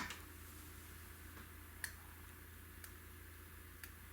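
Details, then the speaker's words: 25-inch Hantarex Polo arcade monitor chassis, tube ground wrongly attached to connector J117; faint tick about once a second over mains hum as the switch-mode power supply tries to energize and fails; power supply failing to start. "so when it's going tick tick tick that's the sound of the power supply trying to energize and failing and then energizing the failing"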